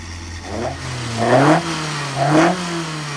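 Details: Customer's freshly built engine fired up after the build to check it sounds right and holds the same pressures as before: two clean throttle blips settling back to a smooth idle, no rattles or knocks; healthy.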